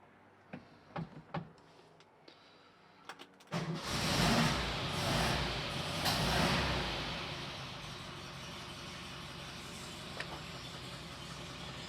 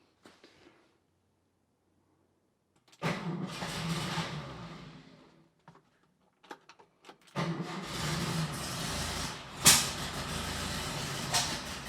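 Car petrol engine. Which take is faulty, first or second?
second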